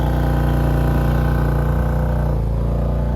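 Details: Wrecked 2020 BMW M2 Competition bought at auction, with the inside airbags blown, first start: steady, even idle hum with a constant low pitch and no knocks, misses or surges; check engine light is on and low oil is possibly mentioned.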